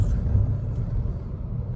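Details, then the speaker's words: Skoda Slavia at cruising speed: steady low roar of heavy tyre and road noise filling the cabin, no knocks or whine; excessive tyre road noise inside. "But काफी sound आ रही है अंदर।"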